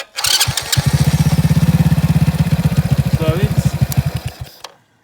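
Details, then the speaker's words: Supercharged Postie bike on its first run-in ride without the blower, after dying uphill, likely when the float bowl ran dry on main fuel: it restarts and thumps evenly at about 200 beats a minute, then cuts cleanly. Normal start and run. "So I turn on and it starts now just fine."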